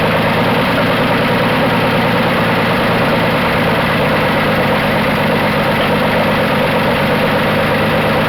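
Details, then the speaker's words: 1980 Dodge D150 at full operating temperature after idle adjustment (idle had been too high): steady, even low idle with no misses or knocks; normal warm idle. "my biggest complaint is it still seems to be idle in high so let me fire it back up see if we can't get the idle down a little more"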